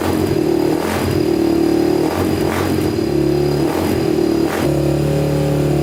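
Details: Honda TRX250X quad with 120 main jet starts right up; single-cylinder blips a little uneven and sharp, sounds lean; plan to go to 135 main and possibly a larger pilot.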